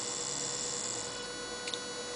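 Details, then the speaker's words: 9 V max DC motor on Arduino Mega 2560 5 V supply, speed regulated by potentiometer alongside LEDs, no diode; steady even high-pitched whir with faint hum, no clicks or grinding, normal running. "motor running so with the Pope meter I now can regulate all the lads the LEDs and the motor"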